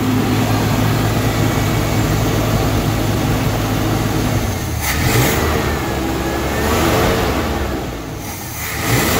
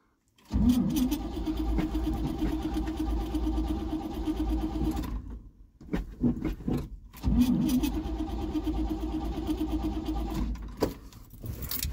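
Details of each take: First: 1974 Chevy C30 wrecker, V8, revived after five years sitting, still smoking as old oil burns off: idles steadily, then picks up in a couple of throttle blips and settles back without stumbling or backfiring; runs fine. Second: 1974 Chevy C30 wrecker, sat about five years, on a weakening jump pack: two bursts of labored cranking with brief attempts to catch, then dies off; tries to fire but won't start yet.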